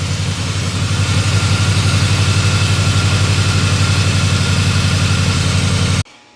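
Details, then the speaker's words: 2004 Ford Crown Victoria 4.6L 2V after timing chain replacement: even idle, about four pulses a second, with a hard knocking edge that comes and goes though oil pressure should be sufficient; cause unclear. "It sounds, I don't know, it sounds hard, a hard knock. And then it goes away. Why would it go away? It should have plenty of oil pressure in it now."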